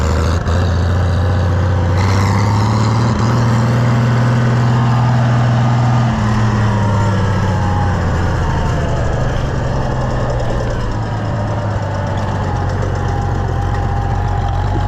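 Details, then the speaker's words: Oliver 1650 diesel tractor after governor service call: steady diesel rumble that rises cleanly and settles back without misses or knocks, picks up well though some mist remains and gauges don't work; normal running. "Yeah, listen to it, it even picks up there. That's good."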